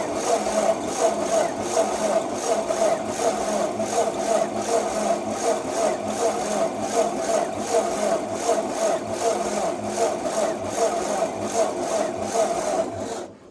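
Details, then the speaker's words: Ford 8N tractor (1950–1952), choke won't stay engaged, suspected spring: steady starter churn with even cranking pulses about eighty a minute and no firing; cranks but won't start, cause (spark or fuel) unknown. "So, yeah. It does not want to start."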